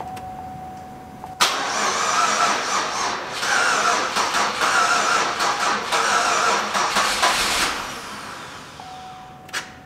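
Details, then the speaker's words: 2004 Pontiac Grand Am GT that sat almost five years at auction, cranked on two jumper packs: about six seconds of rapid cranking, no start. Owner suspects injectors stuck closed from sitting and plans to run it on carb cleaner. "a lot of times these injectors when they sit will stick closed they need a heat cycle for them to unstick themselves so we're gonna have to run it off carb cleaner"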